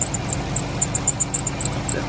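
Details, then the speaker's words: 2012 Dodge Grand Caravan 3.6L at idle: sharp high-pitched chirping squeal about four times a second over a steady idle. Owner suspects an alternator or pulley bearing but is not sure. "it's got a weird noise I'm still trying to I gotta figure this out annoying the name it is might be an alternator fully so bearing not 100 sure"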